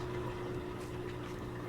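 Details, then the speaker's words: LG washer/dryer combo that would not drain, new drain motor fitted and a bent motor terminal fixed for good wire contact: steady low hum with water gurgling as the drain pump runs and drains normally. "And now when I checked for the drain function, I could hear the drain motor kick in. I could see the water draining out, so"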